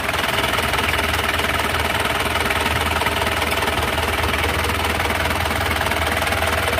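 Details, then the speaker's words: 2003 Mazda BT-50 4x4, 2.5L turbo intercooled diesel (same as Ford Ranger TDI), conventional mechanical injection pump: even diesel clatter at steady idle, about four beats a second, no misses; healthy idle. "oke kita langsung dengarkan suara mesinnya secara langsung ini suara mesin dari Masda BT atau mesin for Ranger sama"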